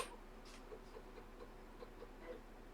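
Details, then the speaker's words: ZX Spectrum disk drive after repair, loading a disk; quiet, light ticks of the drive head stepping about every quarter second, very fast loading, no grinding or scraping; a healthy drive. "It's extremely fast. If you hear it ticking, then you can see it on screen, by the way. So this works like a treat."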